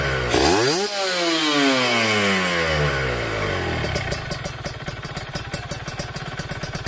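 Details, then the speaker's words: Kawasaki Ninja 2T two-stroke, freshly finished special OB block with re-squished head and power valve (superkip) active: sharp rev climbing high, then falling smoothly to a crisp, even ring-ding idle, louder due to a different X-hole; normal rev. "ini suaranya memang lebih lantang ya, suaranya lebih lantang dari yang kemarin-kemarin karena ini lubang X-nya kita bikin beda ya."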